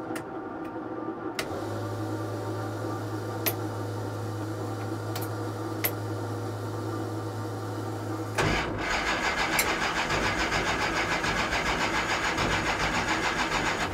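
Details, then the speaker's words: 1969 Plymouth Barracuda 440 drag car: steady electrical hum, then starter cranks evenly at three to four beats a second without firing; no fuel pressure, owner suspects low fuel or stuck carburetor float. "okay well we'll sort out this fuel problem cuz it ain't working back in a minute"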